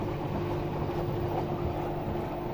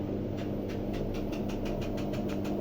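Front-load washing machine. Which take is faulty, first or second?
second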